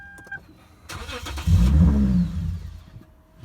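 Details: 2009 Lexus IS 250 whose Denso mass airflow sensor had been replaced with an aftermarket unit: a short crank, then the engine fires into a low rumble for about a second and dies instead of idling. The aftermarket MAF is suspected.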